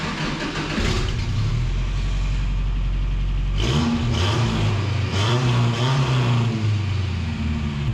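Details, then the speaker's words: 1967 Toyota Stout pickup, 5-cylinder, 5-speed, 96 hp, fired up on the lift after exhaust work: deep loud exhaust bark on throttle blips over steady idle; the old muffler was not quiet and the exhaust is still noisy, though the engine runs well. "oh yeah she's definitely still noisy uh I like how good it runs though guys"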